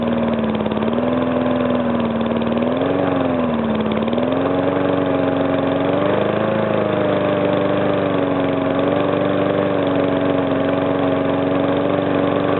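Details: Briggs & Stratton single-cylinder, first start after a rebuild: the knock came from compression leaking past the piston, fixed by rearranging the rings and cleaning; now a steady, even idle with no knock.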